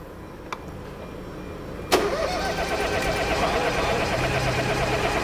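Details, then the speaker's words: Downsized three-cylinder engine, under 100,000 km, no start, battery run low from repeated cranking: long even droning crank with no firing pulses, no catch; sounds like no compression, engine damage suspected, camshafts to be checked. "hört sich nicht gut an. Ne? Der hört sich so ein bisschen an. Man ist ja ein Dreizylinder. Aber der hört sich so an, als wenn der keine Kompression hätte."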